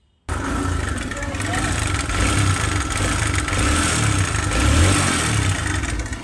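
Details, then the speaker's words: TVS Raider motorcycle at about 2245 km, idling with a loud, uneven clattering rattle over the engine beat; timing chain found very loose once opened up, and the old chain is removed for replacement. "Timing chain बहुत ढीला यह हो चुका है। ढीला इसका बहुत महत्व है। यह ढीला है। यह शोर कर रहा है।"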